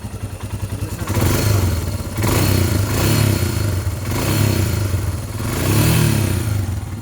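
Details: Royal Enfield Himalayan at about 13,392 km, just after valve clearance/tappet adjustment, exhaust sound: single-cylinder thump rising and falling through four throttle blips, revving cleanly without tapping, occasional backfire; normal running.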